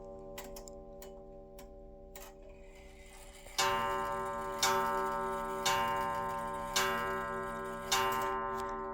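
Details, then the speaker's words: Restored 1890s Junghans calendar wall clock, set in beat and with the hammer wire bent closer to the gong: soft even ticks, then five clear, slowly fading gong strokes about a second apart; normal strike. "The chime sounds good. It actually has a beautiful gong on it."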